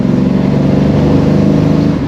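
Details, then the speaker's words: Holden HT with swapped 253 V8 and twin exhaust on its first drive, accelerating quickly to 45 km/h; strong, even pull with steady low rumble and no stumble, running much better. "It's very smooth. Actually surprising. All right, so she's running a lot better."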